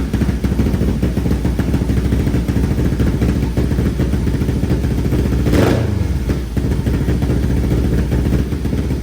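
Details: 500cc mini bike after fitting a full stainless exhaust with high-flow muffler and retightening a baffle that had vibrated loose, carb only partly tuned: steady low idle with a quick throttle blip, sounding much better with nothing loose buzzing.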